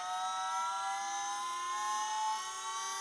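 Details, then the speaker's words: Holden Astra electric power steering pump fitted to a 1988 Honda Prelude electric conversion, drawing a constant 27 amps while holding pressure. It gives a steady high whine with only slight pitch drift. The pump runs normally. "seems to pull about a constant 27 ants just sitting there maintaining pressure but it works good"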